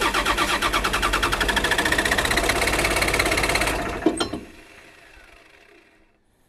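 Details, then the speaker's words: Long-sitting small excavator, diesel, warming with glow plugs (glow plug switch possibly stuck): steady cranking about four beats a second, nearly catching but never firing; no start. Owner wonders about a safety switch; cause unconfirmed. "well she sounds like she wants to go i'm warming up with glow plugs"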